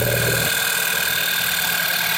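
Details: 2008 VW Passat 2.0 TSI at steady idle with a fast, light, unchanging ticking that started a few days ago; the owner rules out the tensioner, water pump and the new oil pump, and the cause still needs tracing.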